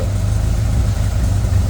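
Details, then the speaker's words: 1928 Ford Model A race car with 4-port overhead valve head conversion, just started ice cold on choke, coolant about 150, thick oil; deep, even low rumble at steady idle, no knocks or misses; healthy. "And it's still out a little bit. It's ice cold."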